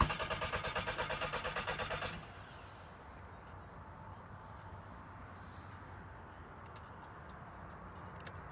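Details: Scirocco cranking steadily for about two seconds without firing, then silence; cranks but won't start or stay running, and repeated cranking is killing the battery.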